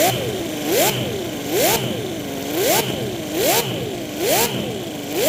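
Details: Mini V12 gasoline engine, 50 cc, overhead cams, independent coil packs, on a dyno with stock ignition replaced by MS3 Pro controlling timing and rev limiter: crisp blips about once a second with steady idle between; normal healthy idle and revving.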